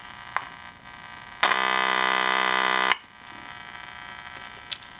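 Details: Channel Master 6505 five-transistor AM table radio hums through the speaker: a steady buzz that swells loudly for about 1.5 s while capacitors are being bridged, then settles to a low drone; faulty capacitors are being traced.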